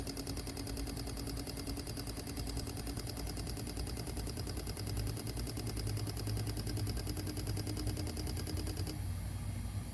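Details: Fuel injector on a bench rig at about 45 psi, 25% duty cycle test: rapid, even, unbroken clicking over a low hum. Normal injector pulsing.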